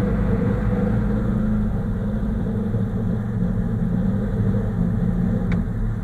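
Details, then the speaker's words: VAZ Zhiguli "kopeyka" that misfires and sneezes: with the choke pulled, the engine holds a steady, fast, even roar, idle running high; pushing the choke in makes it shake. "Вот так вот эта сучка работает. Хуй поймешь, что ей надо. Подсос выдергиваешь, обороты ревут."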